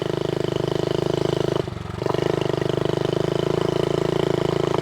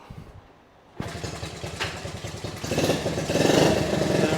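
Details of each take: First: Vintage Honda Z50A mini bike, first run in over 30 years, putters with a slightly uneven beat and wavering pull from fuel starvation; the petcock was only trickling fuel and was blown out and cleaned with carb cleaner. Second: Honda Z50A mini bike, first run in over 30 years, after clogged petcock blown out and cleaned: catches on a kick and settles into an even putter that climbs smoothly with throttle; runs healthy, throttle cable issues remain.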